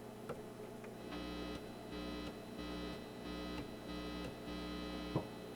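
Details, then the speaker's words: Acoustic Control Corp 260 amp head during function check, guitar through one preamp: steady low hum with buzzy pulses swelling about every second; suspected grounding noise from cold solder joints needing resoldering, unconfirmed. "chances are these just need a bunch of resoldering joints you can hear that hear that grounding that noise"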